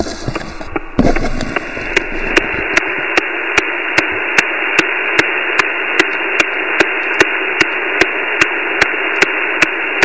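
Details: Flex 5000 receiver on 17 m (also 10-20 m, barely 6 m): steady loud hiss with sharp regular ticks under one per second; house power off changed nothing, owner suspects neighbourhood source, started this morning; RF interference.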